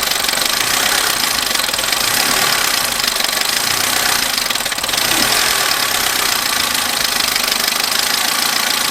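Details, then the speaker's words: Abandoned Vauxhall Corsa, just started first time on a new battery, one warning light on dash: fast light tapping over a noisy uneven idle with hissy top end; very tappy, owner hopes a service fixes it. "The engine is extremely tappy and I am a bit worried about that. It is very noisy. Maybe it just needs a service, but it doesn't sound promising."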